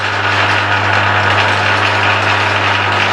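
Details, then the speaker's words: Used Emco Maximat V10-P lathe with the power traverse feed engaged (the lead screw's shear pin is sheared): steady low hum with an even whirr of gearing, no knocks or grinding; feed running smoothly. "I'll fire it up again and show you the travel I've got the maybe you can see on it hey everything's engaged"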